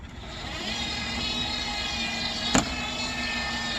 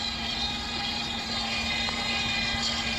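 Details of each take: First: Dolphin S300i robotic pool cleaner, which would start then immediately stop: steady motor hum with a sharp snap every second or two; drive track suspected worn and skipping a tooth on its cog. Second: Dolphin S300i robotic pool cleaner after repair, with a wheel that sat too far out pushed back in so the track teeth no longer catch the cogs: steady even motor hum with a smooth whir, no skipping; gears fine, track drive normal.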